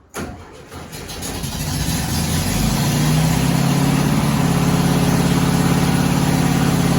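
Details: 1972 Volkswagen Westfalia bus with CB Performance Solex carbs, first drive in 14 years; fires up and holds a fast, steady idle that never settles, choke-connected internal mechanism hanging the throttle open.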